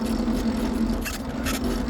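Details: Aipas M1 Pro e-bike with error code 03, in pedal assist mode: steady rough grinding churn with low hum, chain not derailed; grinding only in PAS, suspected from hub motor or assist engagement mechanism, assist not felt engaging.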